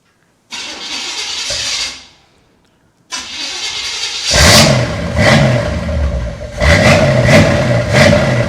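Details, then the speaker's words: C3 Corvette with new plug wires, being brought back to life: cranks, catches briefly, dies, then fires on the second try and settles into an even, lumpy V8 run with throttle blips. It runs, though vacuum hoses remain to sort. "Much, much better than what it first sounded like. Well, I'll tell you what, there you have it. It runs."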